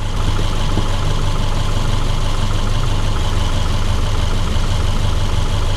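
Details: 2010 Subaru Forester after water pump replacement, warm idle with transmission hot: steady even low rumble, no knocks, ticks or squeals; engine sounds healthy and settled.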